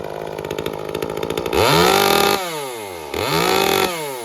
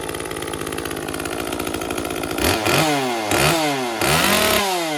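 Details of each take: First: Echo CS-355 chainsaw after fixing its no-start and no-WOT faults and tuning the carburetor (it arrives rich from the factory; the top end could still be a bit leaner): idles steadily, then snaps cleanly to wide open throttle and back; normal. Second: Echo CS-355 chainsaw after dealing with a badly clogged screen: four sharp throttle blips falling back to a burbly, blubbering idle; with both limiter-capped adjust screws at leanest preset settings it still runs a little rich, apparently set rich from the factory.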